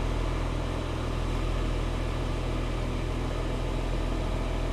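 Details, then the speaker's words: 2015 Porsche Cayenne Diesel started after DIY battery replacement. Steady, even diesel idle with a low regular beat around three pulses a second and no knocks; normal idle. "Okay, so here's the moment of truth. We're going to start it up."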